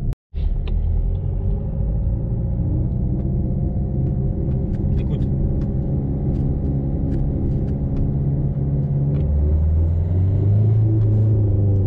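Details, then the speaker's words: Peugeot 307 1.6 HDi driving: deep pulsing growl swelling with speed in any gear, gone when declutched, persisting after a driveshaft change; blamed on the driveshaft via the dead lower engine mount, which was replaced. "Enfin, c'est un grognement abusé. Genre, plus tu roules vite et plus le bruit est pire. Et dès que tu débrayes, il n'y a plus de bruit."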